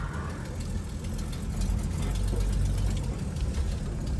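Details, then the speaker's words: 1964 Chevy Nova with automatic choke whose manifold-heated thermostat had loosened and come off: low, uneven idle stumbling and surging instead of settling, running a little rough; owner also suspects an exhaust leak. "Yeah, this thing's running just a little bit rough. Sounds like it's maybe got an exhaust leak too."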